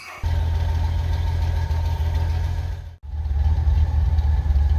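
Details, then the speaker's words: 1989 Ford F-150 300 inline-six, 4-speed manual 4WD, first start after sitting 8–9 years: deep, lumpy, stumbling idle, sounds like running on about four cylinders; oil pressure and charging present, cause not yet confirmed. "you guys missed the startup, but it sounds like it's running on about 4 cylinders. But it is idling, and it's got oil pressure, and it's charging."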